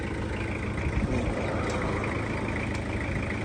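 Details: Toyota Hiace van, 2.5 L diesel (seller calls engine very good), idling: low, even diesel clatter holding a steady idle with no knocks or misses; normal idle.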